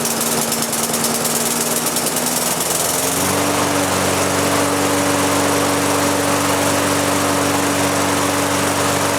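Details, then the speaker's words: Lawn mower engine converted to propane with an added small pressure regulator; fuel knob cracked to start then opened wide, regulator feeds fuel and engine governor sets RPM; small single-cylinder buzz settles and holds a steady governed speed after a brief rise. "the fuel pressure regular takes over the governor on the engine sees that extra Fuel and it comes up and sets the RPM at the right spot so you still are fully govern and whatnot"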